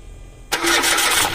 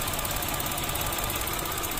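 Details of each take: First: Mitsubishi Mirage, which had cranked long and hard to start before: catches on the first hit and settles straight into an even, smooth idle with no shaking; normal start and idle, fixed. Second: Mitsubishi Mirage three-cylinder at idle: uneven shaky stumbling beat with irregular popping and strong vibration; cylinder 1 misfire, injector, ignition coil or spark plug suspected, unconfirmed.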